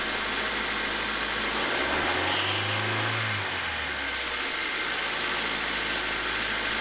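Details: 2000 Honda HR-V 1.6 VTEC (D16W) petrol idling, bonnet open: a faint, high, chirping squeak repeating a few times a second from a worn power steering belt, screeching for some time before replacement.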